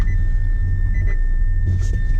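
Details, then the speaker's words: Nissan e-NV200 electric van driven below 0% battery in tortoise mode until it cut out; steady high thin tone over low rumble is the sound of the flat traction battery. "Alright, it's just cut out. Is it? Alright, push time. Alright. That noise is the noise of a flat battery."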